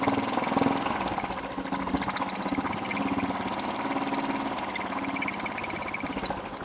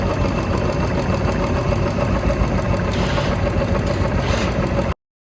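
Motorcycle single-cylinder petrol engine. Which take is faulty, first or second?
first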